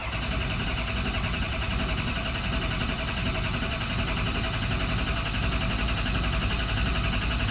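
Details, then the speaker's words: 2003 Ford F-350 6.0 Powerstroke diesel, crank no start after losing power on a low tank: steady starter churning, no firing; RPM gauge moves but no oil pressure. "so you want to have some really good hot batteries because that oil pressure gauge is not a priority on all your gauges up here if you have low voltage especially see we got RPM we have no oil pressure still"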